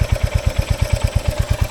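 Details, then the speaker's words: Royal Enfield Hunter 350 BS7 E20, 2024, after 500 km and first service with tappets set: even single-cylinder thump about eight beats a second at idle with only a faint light "chak chak" tappet tick; normal. "तो 500 kilometre चलने के बाद तो आपकी, मैंने बोला ये आवाज़ तो आ रही है, उसने बोला हल्की फुल्की तो आवाज़ आपको आएगी इंजन में से, ये चक चक करके आप सुन सकते हो ये।"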